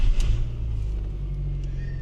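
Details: 1999 Ford Festiva subcompact, 25 years old and bought cheap, started for the first time after purchase: a quick catch, then a steady low rumble settling without misses or knocks; the small four-cylinder starts and runs cleanly.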